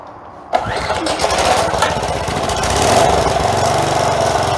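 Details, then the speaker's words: Old four-horsepower Craftsman edger after carburetor replacement (sand found in old carb), first run after sitting many years: speed swells and drops in slight uneven surging; breather and air filter not yet refitted, suspected cause. "it's surging a little bit but we haven't put the breather back on it yet either and that may take care of that"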